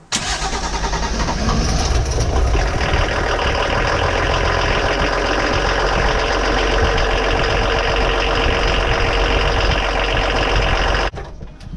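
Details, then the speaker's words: VW D24 diesel in a Pinzgauer 716 army truck, glow plugs out, first start since a fuel filter change: long steady cranking that finally catches into a rough run; owner suspects air in the fuel from the filter change. "It took a bit of cranking to start with, but I think that's because it hasn't been restarted again since we did our fuel filter the other day."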